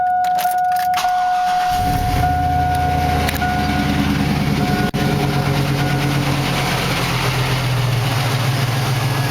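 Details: 2000 Silverado 5.3 V8 with 198,000 miles, first start of the day at about 60°F: door chime, crank, then loose uneven cold idle with brief dropout, smoothing after warm-up; new fuel filter, plugs, wires, PCV valve, throttle body cleaned; owner suspects bad fuel pump.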